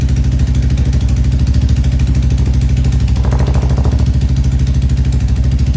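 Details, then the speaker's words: Royal Enfield Classic 350 just fitted with a 410 big bore kit, on its first startup. Loud single-cylinder idle thump with a sharp puffing tick on every firing pulse, from an exhaust leak at the header joint. "right, so in the startup, we realized we have a little bit of an exhaust leak at the header."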